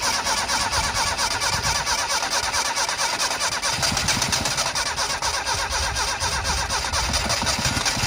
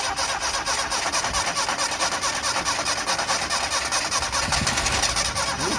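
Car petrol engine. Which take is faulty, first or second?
second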